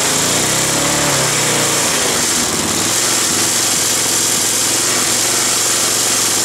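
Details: Roadside-salvaged Nautac mower with Quantum XM engine in poor condition: busy, rattly small-engine buzz with a shaky edge, vibrating hard; owner blames the rusted, structurally weakened deck and a probably unbalanced blade.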